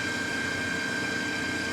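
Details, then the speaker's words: New Precision Matthews PM 1660-TL lathe on its first run and break-in, wide open at its top speed of 1800 rpm: an even, steady hum with a faint high tone and no knocks or rattles, smooth and not overly loud. Normal running. "that is uh that is impressive i really like that it's uh what can i say it's smooth and it's not loud it's not overly loud"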